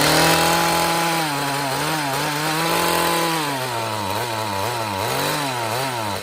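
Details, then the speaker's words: Echo two-stroke trimmer started while flooded, fuel smelling of alcohol: rough running that can't climb in revs, tone sagging and wobbling; bogging from far too much fuel through the carburettor. "all right we know it is getting way too much fuel and that's what's bogging it down"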